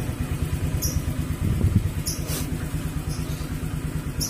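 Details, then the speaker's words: Honda Vario scooter that died on sudden acceleration, fixed by cleaning the air filter: steady low putter with a brief rev, smooth, no stumbling or dying on throttle; no longer stalls when blipped. "But for now it can be used again because when we are spontaneous it doesn't turn on anymore."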